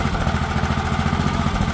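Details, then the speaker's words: Old 8 hp Honda single-cylinder engine bought at auction, after cleaning out debris: even, steady putter at fast idle with no misses or knocks. Normal running. "don't that run a treat she's actually running really nice wellow I was thinking I was going to need a new carb on there that's not looking like the case"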